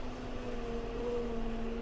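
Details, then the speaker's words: Massey Ferguson 5711 Dyna 4 tractor while baling: steady low drone with a faint, thin squeak rising briefly; hydraulic noise from the brake valve, which has always done it, cause unknown. "That noise is the brakes on this tractor. It's always done that since I've had it. It's like a hydraulic noise."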